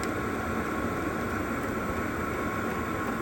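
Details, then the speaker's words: Vehicle diesel heater on the low setting (level 1) after its pump was wrapped and seated in the rubber isolator to cut knocking: a steady, even blower roar with a constant mid tone, and the exhaust gets quieter. "And yeah, the exhaust gets a little quieter, but still. Yeah, that's not bad."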